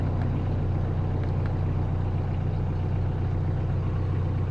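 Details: 2018 Bobcat E26 mini excavator diesel at 1869.4 hours, just started with a new battery after sitting about a month: steady even low idle with no knocks; owner notes it ran rough initially, suspecting fuel draining back.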